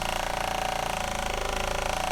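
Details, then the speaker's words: Existing Shurflo 4008-101-A65 12V 3.5 GPM 55 PSI diaphragm RV water pump, microphone pointed at the pump: fast, hard buzzing chatter with a steady rattling pulse at about 77–78 dB. Loud vibration carries back into the living space. "there's still a lot of vibration going on down here and that noise all translates back into the living space"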